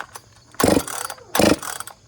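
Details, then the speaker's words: Freshly rebuilt, ported Dolmar chainsaw pulled over slowly with the switch off, giving a sharp metal-on-metal tapping like a small hammer; owner suspects a connecting rod or wrist pin bearing failure, imminent. "can you hear it sounds like sounds like metal on metal almost like a hammer tapping Uh something's going on in there and she's about to pop"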